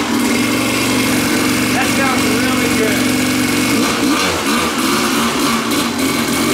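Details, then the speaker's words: Kawasaki two-stroke dirt bike on a new genuine Keihin PWK Air Striker carburetor, untuned out of the box: crisp, high, clean-revving buzz with no bogging, running less lean than the replica carb; normal running. "that carburetor straight out of the box I can tell it runs better than the China specials maybe the child special can be tuned but it just felt crisper it didn't run as lean"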